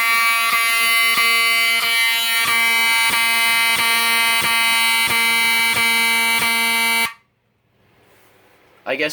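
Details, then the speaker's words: Wheelock 7002T-24 fire alarm horn on a system test: a loud, steady, clean buzzing tone for about seven seconds, drowning out the panel beeps, with no scratchy sound; the horn works normally. "this thing is so loud that you can't really hear the panel beeping over it"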